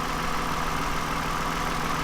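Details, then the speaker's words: 2009 Toyota Highlander, 276,480 miles, after swapping ignition coils to cure a cylinder 2 misfire: even, steady idle hum with no stumbles; normal idle, misfire gone. "But for now, I don't know. It's running pretty smooth."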